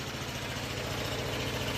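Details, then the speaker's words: Onan twin-cylinder generator from an old RV, fed from a gas can via a rigged vented cap: constant, even speed with a steady low thrum, no misses or surging; relatively quiet, running normally. "Nice little unit. It's actually a lot quieter than this unit. That one's a lot louder. These RV units are not they're supposed to be relatively quiet, you know."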